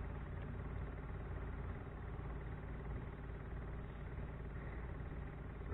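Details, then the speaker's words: Micro Quiet 4000 W genset after a broken wire was given a new connector and the ground bolts refitted: quiet steady low hum for several seconds, no engine firing; fuel pump priming properly. "let's see what it does let's see if we can hear it that's a fuel pump priming"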